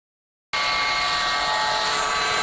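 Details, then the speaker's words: Mercedes EQE350 electric car, about 13,000 km, recorded beside the front of the car with AC on: steady even hiss; occurs when driving with AC at 50–70 km/h, persisting after several repairs, cause unknown. "车都能听到这个异响。是一种什么样的声音呢？嘶的声音。"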